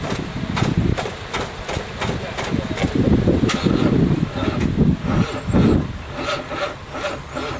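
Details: 1978 Monte Carlo 305 V8 in a 1963 Allis-Chalmers loader, parked 5.5 years: uneven bursts of slow cranking that never catch; engine turns but won't fire; owner suspects battery connection or seizing motor.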